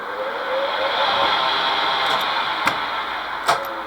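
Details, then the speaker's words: Kearns Richards S-type horizontal borer, main spindle motor on high speed at first power-up: loud strained hum with slowly shifting pitch and sharp clacks; drawing heavy current, suspected motor switch or contact fault, not confirmed. "no no no no there's something wrong with the motor uh switch or contact or something is not right because it's throwing an awful lot of current"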